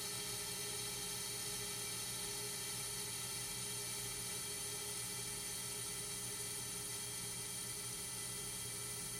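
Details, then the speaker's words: Accu-Turn 8944 brake lathe, more aggressive pass on a rotor: quiet steady whir with even cutting hiss, no howl or chatter; clean finishing pass, rotor about 27.3 mm, above 25 mm minimum. "alright looks like we got a nice clean pass on that one"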